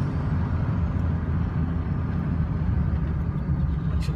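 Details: 1999 Ford F250 diesel truck idling while parked after a drive: deep, even, low rumble with no knocks, misses or rattles; a healthy diesel.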